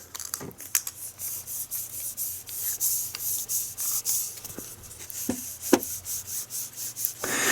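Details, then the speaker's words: Dry, gritty rasping in short pulses as a removed front wheel hub bearing assembly from a 2014 GMC Sierra 4WD pickup is turned by hand; the worn bearing was also noisy while driving and was replaced. "I don't know if you can hear that or not but it is actually making noise now imagine the weight of the vehicle traveling down the interstate at you know 75 80 miles an hour and it's it's um it's actually noisy and I can hear it so I wanted to replace it"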